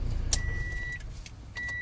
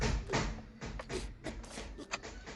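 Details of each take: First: Toyota Vios that would not start, after fuel pump and filter replacement: brief crank then catches immediately and settles to a smooth steady idle; no-start fixed by new fuel pump. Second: Toyota Vios that will not start: the starter cranks at about four beats a second with no catch. The engine is getting no fuel because the pump has failed, and the fix was a new fuel pump with filter. Crank, no start.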